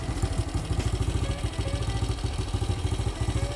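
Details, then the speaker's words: 1968 BSA single after a new carburettor and a ride: low, steady, even tickover with no clatter or misfire. The owner says it runs much better than before. "is it running better than it was before much better much better"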